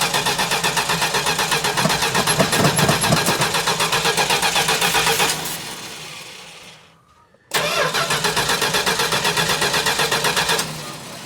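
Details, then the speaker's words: 1969 Plymouth Road Runner V8 parked for decades, first start attempt with starter fluid: cranks steadily about four beats a second, pauses, cranks again, never fires; no spark suspected. "It's not even going with starter fluid. That's kind of weird. Yeah. Wonder if there's something blocking the fuel. But the fluid should fire."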